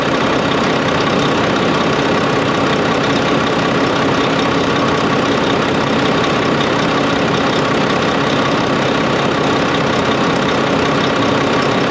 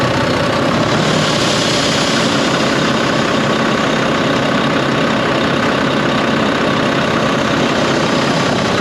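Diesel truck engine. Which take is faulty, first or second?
second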